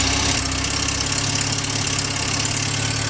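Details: VW Mk2 Golf petrol engine after an engine bay refresh and engine refit, started after a loose connector was clipped on fully; steady, even running with a constant low hum and no knocks or misses, idling normally.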